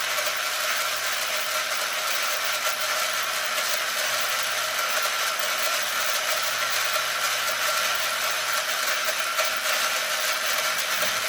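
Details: Arrma Limitless GT with Castle 1721 2400kv motor on a Perfect Pass motor mount, run free without the remote on one battery instead of 8S while the mesh is set. Smooth, steady high electric whine with an even gear hum, no clicking or grinding. Pinion-to-spur mesh sounds just about perfect.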